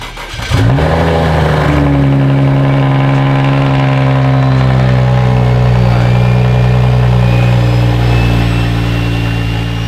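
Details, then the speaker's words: BMW 335i E90 xi, built N55 engine with Speedtech bottom-mount single turbo kit (T51R mod), first start before break-in and tuning: fires quickly, settles into steady even idle, smooth low hum, no ticking or knocking; much quieter than the previous setup; normal idle. "I don't know if y'all remember this setup before, but before it was so loud, the turbo quieted it down a lot. It's actually so much quieter."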